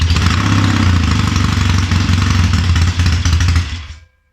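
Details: Triumph Tiger 90 350 with electronic ignition, first cold start after rebuild: uneven lumpy firing that hunts and stumbles, dying after about four seconds; ignition timing out, carburation probably slightly off.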